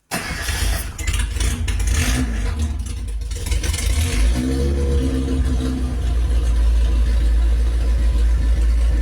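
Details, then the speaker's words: Reliant Reaper with engine fitted with race cams, started on choke after test drive and dialing in: fires into a deep, lumpy grumble with throaty throttle blips; runs strong and even, healthy. "Listen to that grumble. That sounds bloody brilliant. I love it. Absolutely love it."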